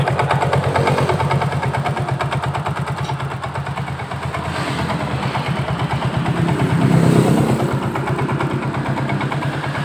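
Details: Soul GT scooter at idle with a rough, steady clatter of about three knocks a second, sounding like a bad connecting rod; the cause was a loose CVT pulley.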